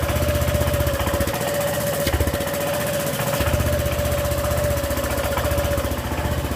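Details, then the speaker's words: Honda PCX scooter at idle: a sharp, rattly puffing tick with every firing pulse, from exhaust escaping because the header gasket ring was left out after a tire change. "O cara esqueceu de colocar a junta de vedação, o anel ali na parte do escapamento. E ela tá fazendo um barulho horrível."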